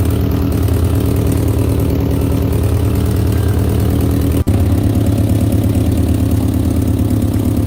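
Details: 1964 Peugeot 404, previously seized engine fully rebuilt with pistons freed, first start after reinstall: steady even low rumble at idle with no knocks, ticks or misses; runs cleanly.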